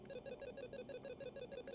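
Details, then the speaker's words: E-Collar Technologies tone box at level 7, continuous button held: soft, quick beeping at about six pulses a second, evenly spaced and steady; frequency and volume rise at higher levels. Normal operation. "very small low beeping I'm going to go ahead and put it to a medium just so the mic picks that up again we're on a seven you can hear that we'll go up to something like a 24 we're getting a little bit faster frequency and a little bit louder volume"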